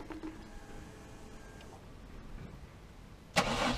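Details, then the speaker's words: First start on a newly fitted Link Fury ECU after wiring fixes: it had failed to start until the crank-table fuel enrichment was set to 10%. Three quiet seconds, then it catches cleanly into a steady run; healthy start. "I just had it had 10% and then she fired right up so it took me a while to figure that out"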